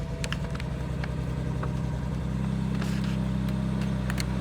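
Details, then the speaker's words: 2009 BMW 328i xDrive E90 at cold start, ~197,000 miles: lumpy, irregular idle with rpm jumping up and down; misfires cold and under load with DISA valve code, clearing once warm; DISA valve suspected. "alright guys so we're in the 90 right now and I'm gonna show you guys how it sounds when we close start it so I'm putting the keys you can see the RPM is jumping up and down"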